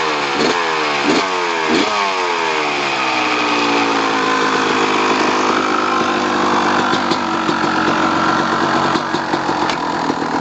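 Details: 2002 Kawasaki KX250 two-stroke, after a few throttle blips, settles to a sharp, rattly idle with a fast, light tick; owner has been told it may be the clutch basket, the power valve, or the crank rod/bearing, unconfirmed.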